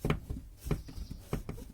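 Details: Loose plastic wheel-arch liner near the wheel of a VW Golf 4, previously bent outward, flexed by hand: dull plastic creaks and clacks in uneven bursts, matching the crackle heard in the cabin over small bumps at minimal speed.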